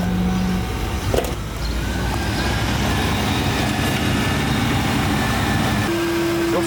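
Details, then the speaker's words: 1992 Lincoln Town Car limousine, long abandoned then driven 800 km: rough idle with low droning buzz and hollow resonance as the whole intake vibrates; caused by a dirty idle air control valve, cleaning it fixed the noise. "bruit d'admission bizarre mais j'ai l'impression que c'est pas lié. En fait, il y a toute l'admission qui se met à vibrer. C'est vraiment étrange."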